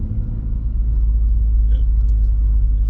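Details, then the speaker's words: BMW E36: low, steady droning rumble while coasting down, only between 2,000 and 3,000 rpm and random. The vibration is improved but persists after replacing the loose centre driveshaft bearing support. Source still unknown. "I can't replicate it it just happens randomly sometimes it does sometimes it doesn't only between between 2,000 and 3,000 RPM and only when I'm touring down"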